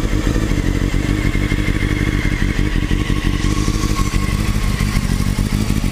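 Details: Engine idling steadily with a loose metallic top-end clatter and odd thumps over it; source not pinned down by ear, owner suspects the cam chain tensioner (CCT).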